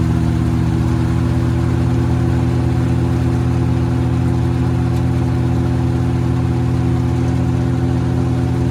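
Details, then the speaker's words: Tractor driving straw reaper, throttled up by foot pedal to working speed, about 1400 rpm after RPM setting: steady strong low drone with fan whirring evenly, no surging or rattles; strong performance. Normal running. "ये आवाज़ निकालती है आपकी machine. देखिए मात्र 1400 चक्करों के ऊपर खतरनाक परफॉर्मेंस।"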